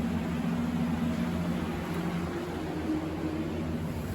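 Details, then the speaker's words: Normal blower operation on a very old home furnace after fixing the bad blower fan, which had let the flame light then shut the unit off: smooth, even low blower hum with no buzzing or rubbing while heating at a 90° thermostat setting. "Alright, so we got heat again."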